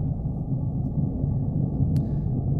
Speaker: ground vibration is something we experience in two different ways we can feel it as vibration at low frequencies mostly an issue for surface railways or we can hear it as a rumbling noise